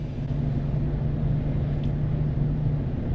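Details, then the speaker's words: Kia with about 170,000 miles: heavy, uneven rumble at idle with a wavering drone after getting angry; cam timing codes 14 and 17 are set, and the engine seems mechanically wrong, not yet verified. "We got some engine problems, it sounds like."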